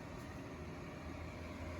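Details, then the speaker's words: Heat-Wave motion-sensor ceramic heater running on low: smooth, even rush of air with a low steady hum, no ticks or rattles. Quiet fan operation, still pushing good heat. "Still quiet. Still pushes a really good amount of heat."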